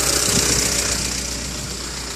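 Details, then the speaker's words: 1988 Honda CRX at warm idle in neutral, parking brake set, during an engine block (combustion leak) test: quick, light, even ticking over the idle, matching engine speed, identified as valve tapping up top. "You hear that valve tapping."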